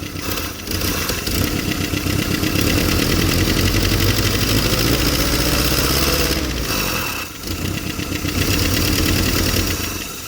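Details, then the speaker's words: Willys CJ-2A Jeep first start in 20 years, carb primed by pouring gas in, before warm-up. Ragged, uneven running that sags and nearly dies twice before catching. Rough running, possibly fuel starvation, float needed refilling; owner also suspects loss of spark. "she might need to warm up for a minute I think I might wrestle with this thing for a minute see if we can't make it more reliable I hope it don't lose spark again or it's not getting fuel it might not be getting"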